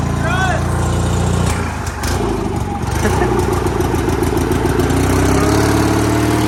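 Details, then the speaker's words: Sears GT 19.9 garden tractor engine, first start after sitting about two years, fuel primed, choke not cooperating; lumpy, uneven running that stumbles and wavers as throttle is added, a little smoky, clearly unhappy. "Give her a shot again. Somebody's not very happy. She's not happy. A little more throttle."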